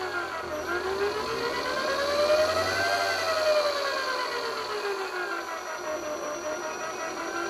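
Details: 250 W PWM DC motor speed controller, 9–50 V: clean whine rising with throttle then easing down, normal switching-frequency whine that varies by design.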